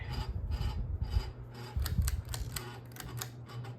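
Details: Ceiling fan gives a dry, scraping rasp that repeats a couple of times a second over a low motor hum; the owner likens it to a dimmer noise, and the rubbing cause is unclear.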